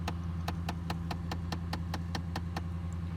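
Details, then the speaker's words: 2009 Dodge Ram 1500 with no heat, engine idling: quick even clicking from dashboard about five per second, like knocking; blend door actuator skipping suspected, replaced as the likely fix. "I realized when I started hearing that knocking mi'jita wasn't working and so I'm one that you know like when I heard this knocking I'm thinking is there some kind of critter up in there knocking"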